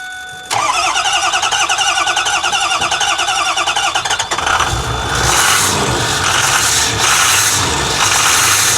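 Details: Ford diesel bus, jump pack added and terminals readjusted: fast uneven cranking about four seconds, then rough hissy chuffing without steady idle; not starting properly.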